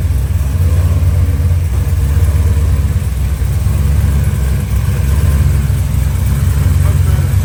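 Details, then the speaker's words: LS3-swapped Toyota FR-S drift car after fitting fluid power steering rack and new belt: deep, even V8 idle burble with no ticking or manifold puffing; earlier power-steering noise gone, sounds normal. "But got it in, got it tightened down, so hopefully all that noise that you heard in the previously, whenever we were messing with the power steering, hopefully all that's gone, and it sounds like a normal car again."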